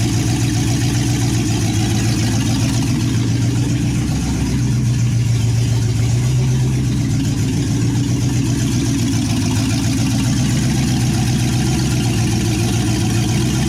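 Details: 1963 Chevy C10 with a 355ci small block (350 .030 over) and Turbo 350, long-unrun engine on its second start: loud, steady, lumpy idle barking from open manifolds, even firing, no misses or knocks. Normal idle.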